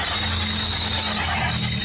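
A steady, piercing high squeal rides over a low engine hum: a slipping drive belt.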